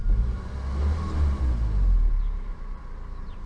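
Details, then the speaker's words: Toyota Avensis 1.8 VVT-i after repair for hunting idle, heard with bonnet closed: quiet, low, even idle rumble with no surging or hunting, tachometer holding its set revs, maybe one pulley audible; normal idle. "a tak chodzi aktualnie na zamkniętej masce praktycznie go nie słuchać jakaś tam roleczka może jedna"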